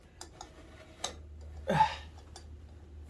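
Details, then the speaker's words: Suzuki LT125 quad, about 1985, engine turned slowly by hand: good compression, sharp isolated click right after compression in forward rotation; owner suspects valve or valvetrain, not the lower end. "It's right after compression it does it, like it's valve noise almost. Valve or valve train."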